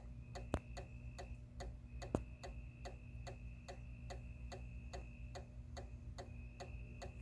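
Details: Outdoor motion-activated porch light that fails to turn on when triggered: steady sharp clicking, about two to three clicks a second over a faint hum, as the relay chatters instead of switching on.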